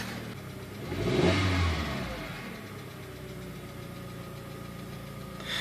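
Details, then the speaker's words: 2004 VW Jetta, BBW engine, just after fuel pump and filter replacement: engine picks up smoothly on a short rev, then settles to a quiet, even idle. Normal running. "so guys that was it you can kind of hear it buzzing down in there it's not very loud at all"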